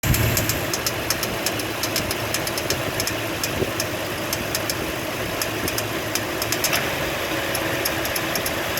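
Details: 2004 Toyota Sequoia V8, warmed up, at idle: sharp, fast ticking over a steady hum; owner suspects water pump or idler pulley going bad, not confirmed.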